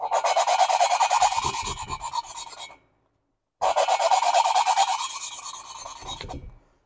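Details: Lapping a valve on cylinder two of a rebuilt 1976 Porsche 912E Type 4 2.0 head (VW Type 4 design): rhythmic back-and-forth rasping grind about three strokes a second, gritty and uneven in tone, so the valve seat has not bedded in yet.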